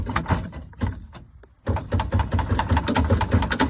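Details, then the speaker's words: 2012 Chevrolet Impala rear rattle: hollow metal thumps and knocks, about two or three a second, from the rusted, loose inner rear bumper reinforcement shaken by hand; the inner bumper needs replacing. "But as you can see, this whole thing just go down the road and makes all these doggone rattles."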